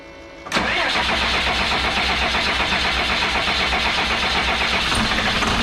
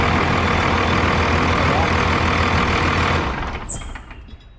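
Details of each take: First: 2001 Freightliner bus conversion with 24-valve Cummins diesel, just after fuel filter change and bleeding: quick crank, catches and settles to a steady, slightly rough idle; a little crabby starting from air left in the fuel system. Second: 2001 Freightliner bus conversion with 24-valve Cummins diesel, after a fuel filter change and fuel system bleed: steady, even idle for about three seconds, then winds down and stops, with no stumbling or misfire.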